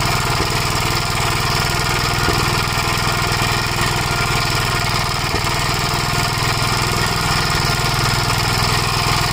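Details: 1956 Gravely Model L single-cylinder, governor removed, after full-throttle running: uneven beat with sharp irregular pops, misfiring, smoking; owner suspects oil-fouled plug, possibly broken ring; carburetor and points fine; unconfirmed.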